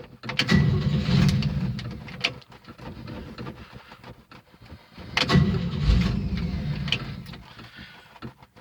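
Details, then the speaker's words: 1971 Chevy C10 six-cylinder, three-speed, after sitting a long time, on a cheap year-old battery charged two days: two long bursts of uneven, chugging cranking that nearly starts but never catches. Slow to start. "that's turning over pretty good charged it for two days it that battery as I said it's just I just last about a year ain't almost started"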